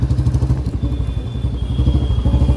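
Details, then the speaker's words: Royal Enfield Standard 350 with a free-flow bend pipe after fitting a gasket ring at the bend pipe joint; deep, even single-cylinder thump, louder, with no earlier popping on throttle release and no leak hiss; normal exhaust note after repair. "भाई आवाज में तो फर्क आ गया इसकी आवाज और ज्यादा लाउड हो गई है"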